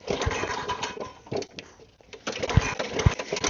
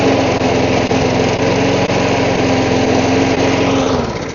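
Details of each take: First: Lawn mower reported to leak fuel, found with no fuel and no air filter, primed with the bulb. Repeated pull-start cranking gives a few uneven chuffs with no catch, and the filthy carburetor is suspected. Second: Lawn mower after the carburetor was cleaned and the primer bulb fitted; it still lacks an air filter. It runs with an even, steady beat at constant speed, then shuts down and winds off smoothly.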